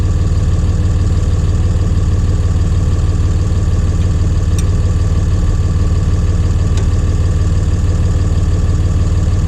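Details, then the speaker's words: John Deere 2030 tractor diesel, Stanadyne/Roosa Master injection pump just refitted after overhaul and calibration: slow, regular starter chug about three beats a second, not firing yet, while lines are bled with fuel at injector lines two and three. "we're gonna tighten the lines up and it should go kicking off here just a little bit now or at least get smoke coming out the"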